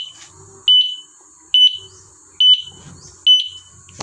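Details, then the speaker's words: E-bike alarm after replacing a rusted horn relay (alarm sounds had been mixed together): clean, sharp high chirps about once per second, sounding together with the flashing signal light; alarm working normally. "Natunog siya at the same time naandap yung ating signal light."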